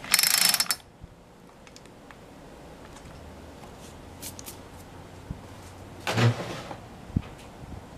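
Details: Poulan Pro PP4218AV 42cc chainsaw, smelling of fuel, possibly flooded: two short rattling starter-cord pulls about six seconds apart, silence between, no firing; cranking no-start, cold-scored piston found later.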